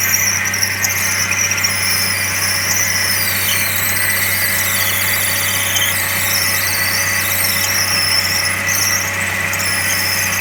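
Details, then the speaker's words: Suzuki SX4 manual: steady high-pitched squeal over the running engine from the serpentine belt accessories. First suspected to be the water pump, but a stethoscope localized it to a failed idler pulley bearing, a known failure point. "I was able to localize the noise that was actually coming from the idler pulley and the bearing here now some of you who know anything about looking after cars are especially the sx/4 you know that this is a failure prone area"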